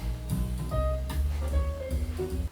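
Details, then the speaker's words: Marantz 2245 receiver bought for parts or repair, heard after repair. Music plays clean and full with no hum, crackle or distortion; normal audio playback. "That sounds really nice."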